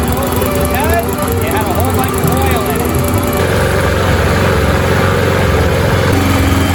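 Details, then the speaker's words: Yard Machines by MTD mower with Briggs & Stratton 158cc 5HP 500 Series engine, after repair (carburetor diaphragm and gasket kit, foam air filter, fresh gasoline) of a no-start and smoking condition: steady even speed, low chug, no misses or hunting, smoke cleared; normal running. "fantastic I'm not seeing any more smoke at all so you know what that means let's go cut some grass"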